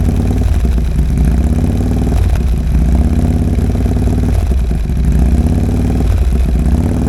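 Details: 2022 Harley-Davidson Road Glide first start after installing a Cyclerama CR483 cam: deep, loping lumpy idle with an uneven chop between firing pulses, steady and strong; healthy V-twin that sounds great.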